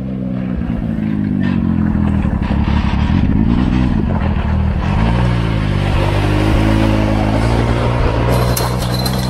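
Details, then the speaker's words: Maverick X3 after being flashed back to stock tune: lumpy uneven running with irregular exhaust stumble, flashing check engine light, sounds like only three cylinders firing; misfire. "I'm gonna see if I can get a code of this guy's yeah you're and it sounds like it's misfiring that's only running on three cylinders 2009"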